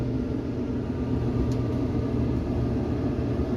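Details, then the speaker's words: Samsung DV45H7000EWA2 dryer after replacing the idler pulley and drum rollers, running empty on normal cycle: steady low drum rumble with no squeak, scrape or rubbing; smooth, healthy operation. "nothing not a squeak not a rubbing sound not a rumbling sound that's perfect"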